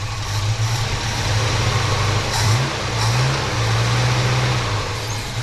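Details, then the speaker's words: Holden HK V8 just refitted with new valley, carby, throttle linkage and coil, first start: idle surging and hunting with uneven, lumpy beat, runs a bit rough, exhaust sounds different; cause not confirmed, idle set high pending readjustment. "well i got it running you run a bit rough"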